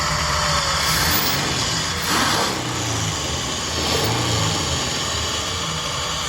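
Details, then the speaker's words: Ford Ranger engine just installed and first fired after sitting dry, intake not fully fitted: idle with a constant airy hiss over the running note; owner suspects a small vacuum leak, possibly from the incomplete intake. Hissing at idle. "can you believe that fired right up sounds really good but it sounds like there's a little vacuum leak but um it also doesn't have all the intake on it and everything when I fired it up"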